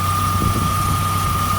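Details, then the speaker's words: Chevy Tracker after replacing the idler pulley bearing to cure a belt squeak: steady idle with even low rumble and constant high tone, no squeak now, only a faint one possibly from the A/C compressor; normal idle. "I think it's coming now, this little squeak from the air conditioning compressor. But right now, she's not squeaking."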